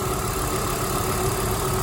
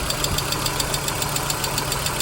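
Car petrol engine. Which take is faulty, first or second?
second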